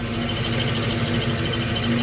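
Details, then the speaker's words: 2000 Ford Mustang GT with newly installed clutch and transmission idles steadily with a thin, constant chirping squeak from underneath; throwout (clutch release) bearing squeak. "I know that's the th the throw all bearing squeaking under there very distinct sound that I've Heard lots of"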